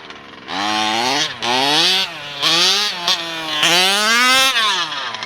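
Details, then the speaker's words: Losi DBXL 2.0 with a Taylor RC 35cc two-stroke and OBR 1254 carburetor: buzzy revs climb slowly from low throttle, then pick up sharply past half throttle; top end good, owner plans to adjust the bottom end. "You can hear it, but just the bottom end, I got to just adjust that a little bit."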